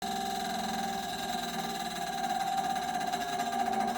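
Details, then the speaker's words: Desktop PC: fast, buzzy, steady-pitch rattle from a CPU water-cooler fan whose blades are striking a cable touching it. "컴퓨터에서 가끔 이렇게 뭐 걸리는 소리가 날 때가 있습니다 해결법은 의외로 간단할 수 있으니까"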